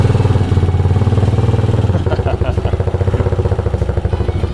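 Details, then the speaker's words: Cheap non-running 250cc single-cylinder motorcycle from Marketplace, first start: uneven, hunting thumping about three beats a second, loosening midway; it runs but not yet properly. "It lives. It actually works. Sounds like but you bugger. All right, so we're not quite there yet, but I think we're close."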